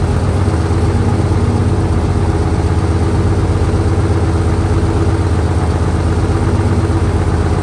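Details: 1968 Dodge C500 truck on a cool, humid day, started via jump from another truck and starting fluid: old engine idles low and steady with an even beat, no misses or knocks; normal idle.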